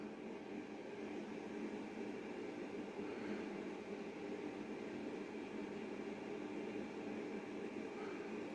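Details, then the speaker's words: Screwfix 4-inch inline extractor fan with ducting used as a solder fume extractor: soft even whoosh with a steady low hum in the background, quite quiet, no rattle or wobble; normal running. "Now you may be able to hear that noise in the background. It's not actually that loud at all. Quite quiet."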